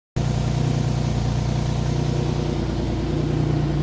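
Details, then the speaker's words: Infiniti idling with a low rhythmic puffing of about three pulses a second under the exhaust note; leaking exhaust Y-pipe. "Problem is the exhaust making noise."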